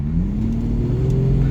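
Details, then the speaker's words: Jaguar XJS 5.3 V12, 3-speed TH400 automatic, full throttle from about 30 mph in D with the kickdown switch disconnected: deep drone climbing slowly with no kickdown jump, holding the higher gear until it changes down to second near 60 mph. "So this is full throttle from about 30 miles an hour in D without the kickdown functioning."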